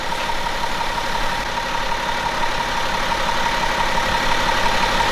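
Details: 2011 BMW X5 35d M57N2 diesel at 130k miles after lower timing chain repair, fully assembled, near operating temperature, no fault codes: a steady, even diesel idle with no knocks, rattles or hunting; the engine runs healthy.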